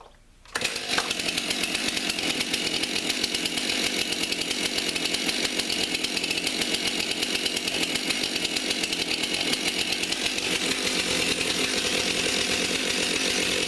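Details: Either a Stihl MS 291 Farm Boss or a Husqvarna 455 Farm Tough chainsaw, 20-inch bar, already warmed up: fires in one pull and settles into a steady, even high-pitched buzz with no misses or surging, running clean.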